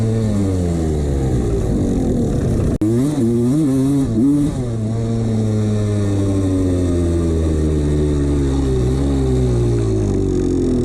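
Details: 1989 Honda CR250 two-stroke revving and dropping back, a hollow rattle following the revs under the exhaust; piston slap the owner ignored.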